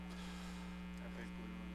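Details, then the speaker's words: Older pinball machine: steady low one-pitch hum as a weak big filter cap lets AC ripple into the DC; old caps blamed for a louder hum. "So when capacitors are weak and capacitors go bad, you actually get that AC ripple, we call AC ripple, into the DC. And if you can listen to this, you can hear hum."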